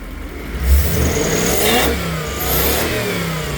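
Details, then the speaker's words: Toyota 1UZ-FE V8 on a Link Monsoon ECU with a 2-wire idle speed control valve: engine blips and settles with a throbbing, pulsing air note; the idle speed control valve is pulsating. "It's been a long time since I've had this problem on one of these. It used to be really common on the older ECUs."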